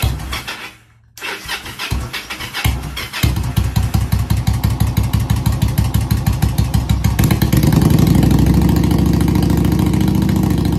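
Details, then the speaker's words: Motorcycle project engine cranked for the first time with gas from a small bottle fed straight to the working fuel pump. It catches with uneven pops, then settles into a steady low beat. Cause of the earlier problem is unconfirmed. "I've got a little bottle I've got some gas in that I'm going to let the pump suck it up I know the pump works so here we go let's try this out"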